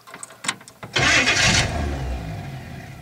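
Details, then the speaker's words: 1966 Chevy Biscayne big-block 396, high-torque starter refitted without the shim: short clean burst of cranking catching into a rough idle, no grinding or whirring from engagement; sounds better, normal starter cranking. "well you know that sounds better oh there goes a cat it does sound better"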